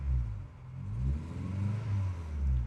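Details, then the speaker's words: Subaru Impreza GC8 WRX EJ22 after coolant crossover pipe repair, after a drive around the block, temps fine: deep, slow, lumpy idle far too low and hunting, used to idle perfectly; owner suspects a vacuum leak, unconfirmed. "Like, it's really freaking low. It used to idle perfect, now it's not."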